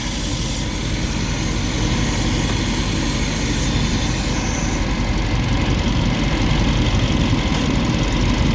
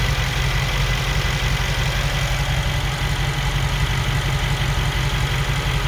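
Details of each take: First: 2021 Mercedes G63 V8, 108k km, after engine repair: even idle rumble with strong airy hiss from a disconnected vacuum line; sounds better once reconnected; vacuum leak. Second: 2021 Mercedes G63 V8, 108k km, after engine repair, A/C on: steady even low idle, no pump or blower noise; normal idle.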